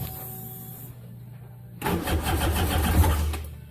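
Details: Jet ski being flipped, test run out of water before plugs pulled: cranking, then a rough two-second burst of firing that dies back down; it almost catches but won't keep running; hard starting.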